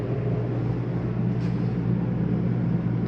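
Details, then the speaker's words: 2022 Jayco Jay Feather 24BH travel trailer, rooftop AC switched on from thermostat: steady, even low hum with constant fan drone, no rattles or surging; running normally. "right now i'm gonna turn it on ac which you can hear cranking"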